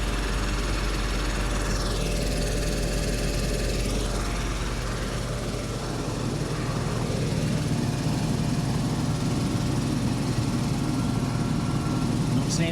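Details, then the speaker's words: 1995 Mercedes R129 SL500 V8, 84,000 miles, cold start after lower wiring harness replacement: steady idle with a constant whirring drone from the smog (secondary air) pump, which runs until the engine warms up and then shuts off; normal. "That noise is the smog pump running. It'll do that till the car warms up, and then it'll shut"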